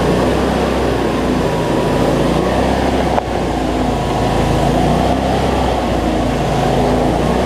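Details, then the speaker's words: Cub Cadet zero-turn mower, Briggs V-twin, after fixing over-tight governor spring that made it race; no black smoke now, battery not charging; loud, steady drone at even speed, no surging or hunting; normal running. "so so all right let's see we got multiplied here so that's much better"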